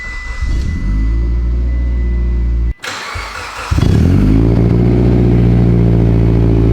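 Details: Freshly built 800whp Mitsubishi Evo X four-cylinder, minutes after first start: loud deep idle, quick rev settling to smooth even idle, healthy; only wastegate and evap codes logged.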